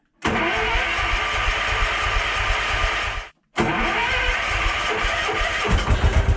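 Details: Case 444 single cylinder, fed from a temporary jerry can because the fuel pump leaks badly: catches and runs steadily, cuts out briefly, then refires and keeps going with a rougher pulse at the end.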